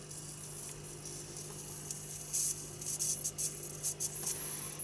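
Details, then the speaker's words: eBay 15kV DC high voltage generator kit, replacement NPN transistor, drawing about 1.3 A: steady low transformer buzz with scattered tiny crackling sparks under 0.5mm; builder suspects secondary winding shorted/toast; weak output. "there's just tiny tiny sparks can appear but it's still making the Transformers making quite a bit of noise"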